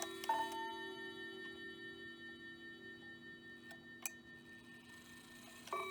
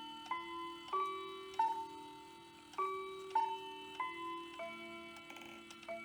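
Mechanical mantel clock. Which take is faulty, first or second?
second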